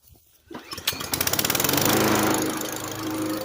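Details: MTD mower with a replacement engine, first test run (carburetor heard blasting fuel): a few pulls, then it catches and settles into a steady, even buzzing run around four beats a second; normal start.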